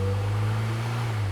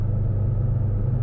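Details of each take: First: Low-mileage 1984 Austin Mini, SU HS4 carburettor, after servicing the Lucas 45D distributor and fitting the king lead; engine note sags and stumbles when throttle is stabbed fully open, then picks up unevenly, a pre-existing hesitation. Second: 1984 Austin Mini, low mileage, SU HS4 carburettor, Lucas 45D distributor, cruising on motorway around 60–70 mph, 20+ miles in: deep steady rumble, no stumbles, no misfires or fuelling issues; running beautifully.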